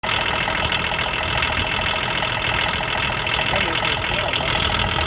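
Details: Diesel idling with a steady rapid knock about three per second over the clatter, disappearing at higher revs; owner suspects crankshaft bearing or rod knock, not confirmed.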